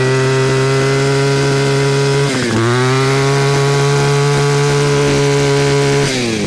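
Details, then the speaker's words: Cheap two-stroke string trimmer, six-seven years old, after ignition coil diagnosis and coil gap fix restoring spark, choked start: steady clean high-speed buzz with brief dip; normal running. "So this is it. Moment of truth. Will it run? Choke. [Music] Oh yeah."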